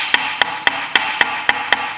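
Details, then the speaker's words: Sewing machine before repair: sharp, dry, evenly spaced clacks about three and a half per second; knocking likely from camshaft-like part, fixed by cleaning and lubricating. "looks like the one thing that could explain all the knocking noises is it's kind of a cam shaft like it's used in a car engine"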